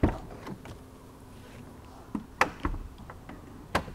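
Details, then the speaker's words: 2014 Bentley Continental GT, 50,000 miles: door leaned against the latch gives a soft click, then a quiet motor hum for about a second as the soft-close mechanism draws it shut, ending in a firm clunk; working normally. "you can just lean it against the latch and it closes itself it's called soft closed doors let's see that again"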